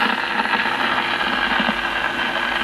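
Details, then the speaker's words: 1952 RCA Victor 1X52 All American Five AM tube radio, after the filter capacitors and the first IF transformer were repaired: irregular thunderstorm-like crackling and popping static over hiss persists, from silver mica disease. "same thing with the other if can still the same crackling"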